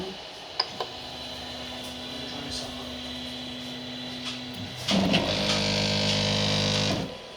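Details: Creality 3D printer during auto home: a steady low buzzing tone, then a louder, harsh whirring chord swells for about two seconds, a strange abnormal noise of unclear cause.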